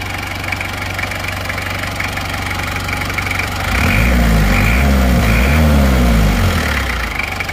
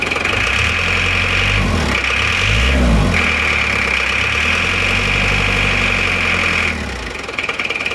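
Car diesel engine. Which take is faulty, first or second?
second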